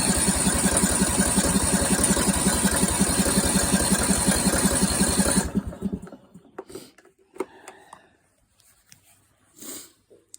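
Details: Craftsman riding mower after replacing the fuel shutoff solenoid and fuel filter, before the new spark plug and fuel treatment: regular thumping turnover at about three per second for five seconds, then it dies away. It fires but won't keep running.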